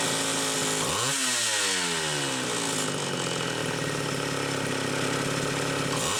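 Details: Mid-80s Homelite Super XL two-stroke chainsaw with a Tillotson carburetor, test run: revs up and down unevenly, hunting and stumbling under throttle. The carburetor leaks fuel because its metering inlet lever spring is too weak.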